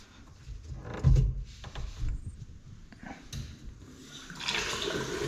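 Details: Infrared sensor basin taps fed through solenoids; some had been unpowered or switched off. A few handling knocks, then a steady rush of water as the sensor tap flows normally.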